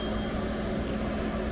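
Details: Newly installed diesel heater in a campervan, on its first run and blowing very hot air. Steady, even whir with a faint constant tone and no knocks or surges; running normally.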